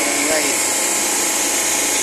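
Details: Blast freezer refrigeration unit after replacing the TXV (expansion valve). It was previously noisy and vibrating from faulty liquid injection. Now a steady, even hiss and hum with no knocking, rattling or surging; the compressor is running smoothly.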